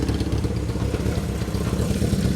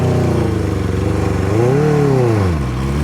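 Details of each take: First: 1978 Kawasaki KZ650 four-cylinder. Idle screws were backed out and reset but the idle is still too low, the carbs are unbalanced, and the right carb leaks on the side stand. Low, uneven, clattery wavering idle. Unstable low idle. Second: 1978 Kawasaki KZ650 four-cylinder on first ride after revival, riding down the road with revs kept up to avoid stalling, fuel leak present: clean strong pull rising smoothly through gears with crisp shifts; normal acceleration.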